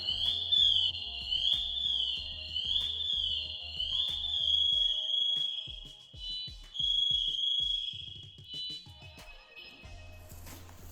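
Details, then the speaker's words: Firefighter's air pack PASS alarm, set off as he lies still acting injured: loud, shrill high-pitched tone warbling and chirping repeatedly, growing louder, signalling a hurt or lost firefighter. "what that noise is is that noise is so loud that it tells all the other firefighters that there's a firefighter who's hurt or lost and so now they can hear that noise and they stop exactly what they're doing and they come over"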